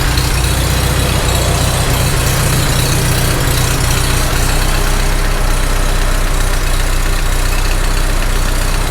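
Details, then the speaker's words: Farmall H tractor engine at idle, mystery knock since first start; loose rocker wedged with screwdriver to take out end play: faint irregular knock about four a second that comes and goes, owner thinks cylinder 3; source unconfirmed. "I hear it. It's still there. That rocker is not closing up to the block at all. That's not moving. It actually sounds the loudest right there."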